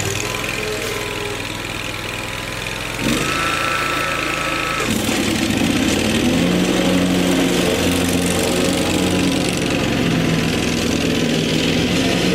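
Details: Lawn tractor after fitting an electric fuel pump to fix a fuel problem, moving on grass: catches and holds an even, steady drone under load; normal running.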